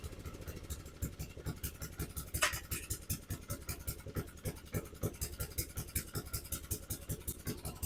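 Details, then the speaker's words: Abandoned lawnmower single-cylinder engine after spark plug removed and cylinder cleared of fuel hydrolock: puttering at a loose, slightly uneven beat about two a second, running but took off, owner suspects throttle stuck open, wouldn't shut off. "well then well we know she runs but that thing took off I don't know if the throttle was just stuck as stuck open"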